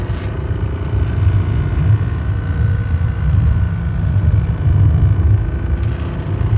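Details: BMW E36 328i Touring 09/1998, footwell: deep choppy rattle tied 1:1 to engine revs, absent below ~3000 rpm, present in neutral and stationary, worse uphill, eased by resting foot on clutch; appeared after brass pedal bushes and other work; clutch pedal rattle.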